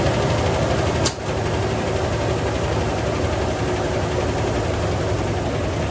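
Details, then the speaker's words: 2001–2002 Toyota Tacoma 3.4 V6 automatic at idle: lumpy, shaking idle with recurring stumble, strange noise and heavy smoke; misfire, first suspected a valve, now possibly a rod, unconfirmed. "como pueden ver la camioneta tiene un tembeleque y un ruido extraño y avienta bastante humo"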